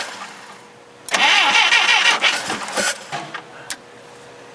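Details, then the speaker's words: Clark C500-45 propane forklift after a new distributor cap, spark plugs and wires: the starter churns evenly for about two seconds but the engine never fires. The new cap is suspected of not making contact. Crank, no start. "doesn't start I don't think it's making contact I'm gonna put the old cap back on"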